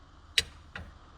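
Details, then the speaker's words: ZF5 manual transmission shifter, shifting second to third: two sharp light clicks about a third of a second apart as the lever passes into neutral, from slack where the pin sits in a worn shift-tower hole. "hear that click when it goes from into the neutral. Obviously there's a click when it goes in gear, but it was pretty annoying,"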